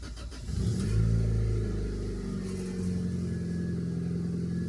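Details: Turbocharged Honda Integra after spraying with the gas flap held open: engine revs cleanly, pitch climbs and settles into steady even run, no misfire; idling at 14 AFR in open loop. Healthy revs.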